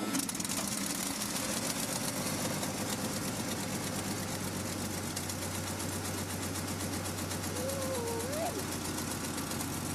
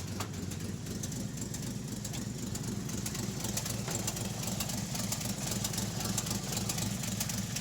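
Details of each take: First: REO M-35 truck after head gasket replacement, very cold start held on a little throttle: fast, even clatter, firing steadily without misses; slight idle trouble while warming is normal. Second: REO M-35 truck with blown head gasket, engine still cold on choke: lumpy idle, three or four cylinders fire then a gap, skipping at least one cylinder, probably more; warm it would not idle without blipping throttle.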